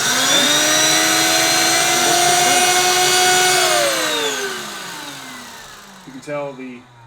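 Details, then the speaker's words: Bissell 3374 Pet Hair Eraser Turbo Lift-Off vacuum, air-driven pet hair turbo brush on the wand: steady high even whir holding pitch, then winding smoothly down; airflow spins an internal wheel that drives the brush, working normally. "As the air comes through here, it spins this wheel which then spins the brush at the end."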